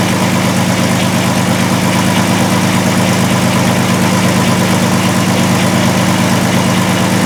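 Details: 2002 Volkswagen Jetta VR6 idling with severe misfire and stalling, injector circuit codes P0262/P0206: loping uneven shaky idle; cylinder drop test and amp clamp show shorted injector on cylinder one.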